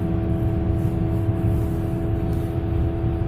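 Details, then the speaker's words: 1999 BMW 328i with bad rear wheel bearings: a low growl that starts around 20 mph and becomes a loud steady cabin drone at higher speed on a road up to 60 mph. "it really starts making some noise so weird about 20 miles an hour it's low growl"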